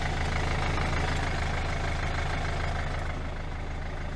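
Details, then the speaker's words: 2012 Hyundai i40 1.7 diesel idling with a light, fairly regular single tick about three per second. A new belt did not help, and the alternator clutch pulley is suspected and due for replacement. "i hope when we replace the alternator pulley the sound will be gone because the alternator pulley is with the clutch and very often the clutch and these make just damage so that's the noise it's like single picking i hope"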